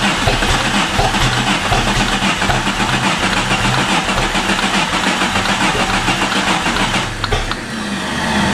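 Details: Jeep with a swapped-in, non-original engine: the starter churns steadily at about four compressions a second with no firing. Crank-no-start; starter bench-tested OK, anti-theft was suspected.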